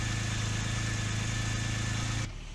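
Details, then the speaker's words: Porsche 996 Turbo on a cold start at idle: lumpy, uneven, stumbling idle before shutoff. The Durametric cable shows cylinders 3 and 6, at the ends of both banks and the fuel rail, consistently misfiring. "three and six they're just missing like crazy and this is a cold startup"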